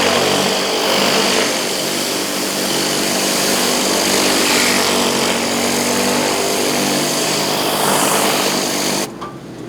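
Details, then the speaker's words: Generator on a 2020 Isuzu pressure-washing skid, running with the burner on for hot-water surface cleaning: steady high-pitched drone with hissing wand spray over it, even until cut off; healthy, quiet running with the pump not heard. "Do you hear the pressure washer running? No, you don't. All you hear is the generator running just a little bit."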